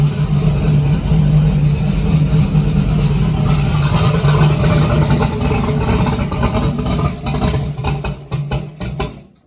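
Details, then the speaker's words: First start of the year on a car with a rear-mount radiator: the engine stumbles with a lumpy beat, almost idles, then dies; the owner thinks it is running a bit rich. "Shit. It was almost idling. On my laptop out here, but I think she's a bit on the rich side."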